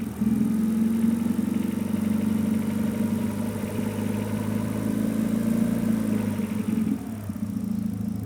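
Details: Renault Megane 2 RS 2.0T 225hp, new coils, plugs and injectors: odd uneven droning hum with rough pulsing, strongest between 1250 and 1750 rpm, less above, seemingly absent on deceleration; abnormal engine noise, cause unknown.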